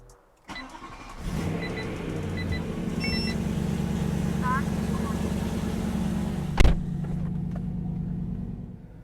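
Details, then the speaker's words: BMW E93 M3 DCT, 125,000 miles, after cold start with new stiffer 034 Motorsports transmission mounts: engine catches after short crank, settles to steady even low idle with faint chime, only subtly more engine and transmission noise; normal idle. "now that the car is idling normally now and the cold starts done I do sense a little bit of a increase in noise uh from the engine and from the transmission but it's very subtle"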